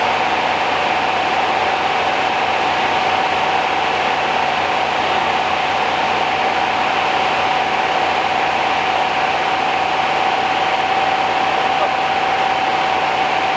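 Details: 1969 Rover P6 Series 1 3500 V8 automatic, first start after 16 years in a garage, choke used: steady, even idle, quiet with no tapping or rattle, engine feels tight. Fuel pump delivered nothing; owner suspects the pump or the line.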